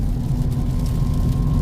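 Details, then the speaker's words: Honda Civic Type R FL5 with stiff 72-hardness lower engine mount, cabin recording while driving in rain: faint steady high whine above deep road and rain rumble; transmission whine transmitted through the upgraded stiff mount. "it's a 72 hardness so it's pretty streetable but you do hear the transmission wind a little bit"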